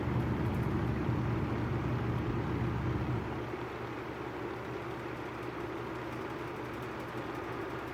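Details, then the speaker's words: Vintage 1950s-60s FASCO 20-inch two-speed box fan, oiled: switched down from high, which vibrates the grille, to low; even hum settles to a smooth, quiet whir with no rattle, a leaf stuck inside. "turn it down to low leaf stuck in there see it runs nice and smooth on low"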